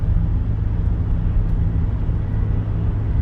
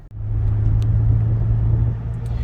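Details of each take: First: 2013 Toyota Highlander on noisy Toyo tires at 45 mph: low road rumble with slow rhythmic woo-woo pulsing, no steering shake or pull; cupped, feathered tire wobble noise. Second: 2013 Toyota Highlander previously making a whoa-whoa sound at 45 mph, test drive from a standstill through 45 to about 60 mph: smooth, steady road rumble with no rhythmic wobble; noise gone.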